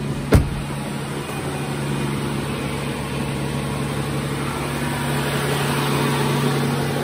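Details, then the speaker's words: 2015 Bentley Continental Flying Spur, air suspension repair, engine idling: even motor drone swelling slightly as the car raises, warning cleared, no hiss of escaping air; normal air suspension raising. "it's raising there we go it's oh raising cleared he's getting up there pretty getting there on his side here no air leaking oh yeah sweet sweet"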